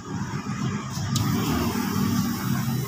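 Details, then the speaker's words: Ford Everest power window regulator repair: the motor is test-run directly off the battery before full welding and should make no noise. Smooth, even low hum with no grinding, clicking or binding; regulator runs freely and quietly, normal. "Yan, tahimik na tahimik guys. Dikit mo ng konti. Sa ano. Yan, swabing swabe."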